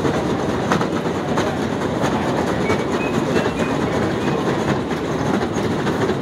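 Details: New York City escalator, up close, 11/21/18: a loose, rhythmic clacking at roughly one and a half knocks per second over a steady mechanical rumble; noisy escalator clatter, cause unknown.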